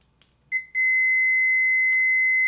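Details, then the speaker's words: Uni-T UT161D multimeter diode test with probes shorted together: after a couple of chirps a steady high-pitched continuous beep indicates a dead short. "it beeps so if your diet is shed it'll give a continuous beep"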